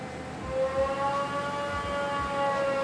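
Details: Newly supercharged Porsche 924 project car at full load, during dyno tuning: steady high whine sits over the engine, pitch holding even throughout; healthy supercharger noise, not a belt squeal.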